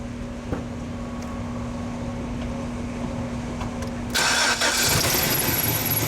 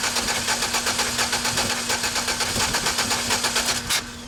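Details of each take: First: GMC 4.3L V6 pickup that quit after a banging noise, after reinstalling distributor on its mark with new cap: engine catches cleanly after short crank, steady even idle, no misses or knocks; normal start and idle. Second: GMC 4.3L V6 pickup that stalled on the road after a banging noise: cranking with one spark plug removed to check spark (fuel present). Even cranking beats with a slight skip, as that cylinder has no compression with its plug out.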